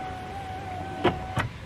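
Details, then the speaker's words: Hyundai Getz front door power window after new glass was installed: faint motor hum going down with two short rasping scrapes; owner suspects leftover broken glass or imperfect installation; power window scraping noise. "you hear that there there it seems to be when it's going down it seems to be touching something either it's a bit of glass that was wasn't removed completely or it wasn't perfectly well installed"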